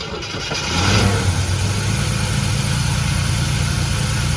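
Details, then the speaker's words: 1981 Chevrolet Camaro, 3.8 L V6, first start after sitting since 1989, check engine light on, throttle return springs unhooked: catches, rises briefly, then settles into a smooth, even low rumble with no misses. Normal running. "The fact that it sat there and it ran is a miracle. It actually runs really good, though."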